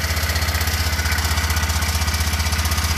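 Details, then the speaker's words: BMW Isetta single-cylinder idling in neutral after a test drive while being checked for oil leaks: an even thump about three pulses a second with no misses or knocks. Healthy, with a little blow-by noted. "Okay, we got neutral. Let's make sure there's no oil coming out of the engine. Oh, it's great. A little bit of blow by."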